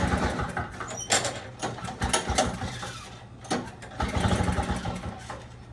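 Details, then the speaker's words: Two-stroke snowblower, non-running, with a flooding carburetor and starting fluid applied: it catches after rough sputtering and settles into a fast, uneven buzzing idle, idling really high and very smoky from excess fuel. "Sounds like it was idling really high. It's very, very smoky."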